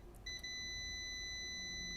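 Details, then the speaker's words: MacBook Pro 2016/2017 A1708, board 820-00840-A, dead with a short on the PPBUS_G3H line. Multimeter continuity test with the black probe on a screw hole: a steady high tone sounds as soon as the probes touch a capacitor. That capacitor is shorted. "Oh, di sini, oh berarti ada short nih di sini ya. Berarti di kapasitor ini nih dia ada short nih."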